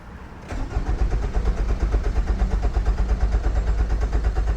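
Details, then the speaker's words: 2005 Nissan Altima 2.5L, IDPM and PCM already replaced, no security light: starter cranks steadily about three turns a second but never fires; crank no start, immobilizer suspected, spark unchecked, RPM signal present. "so it just cranks but there's nothing I don't know if we're missing spark"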